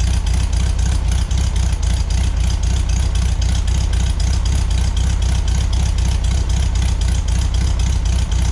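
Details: 1973 VW Beetle flat-four, new remanufactured Bosch 034 distributor, base timing about 7.5 degrees, 30 degrees centrifugal advance at 3,500 rpm, vacuum unhooked: even steady low chuff, no misses, knocks or rattles; timing on spec.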